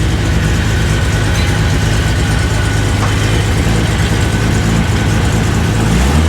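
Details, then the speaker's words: 1980 Datsun 280ZX idling in a cold garage at about 29 degrees after a resonator was welded into the exhaust, no muffler: deep, even low rumble with little hiss; much quieter than before though owner thinks it still needs a muffler; normal. "So much quieter than it was. Still needs a muffler in my opinion, but it's fine."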